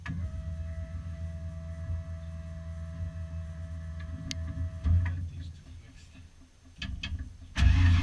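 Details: Foxbody Mustang notchback running on Holley Terminator X EFI and custom wiring after idle screw and fuel table tweaks, warming up: deep, slightly uneven low idle rumble, faint steady whine drops out midway; engine keeps running.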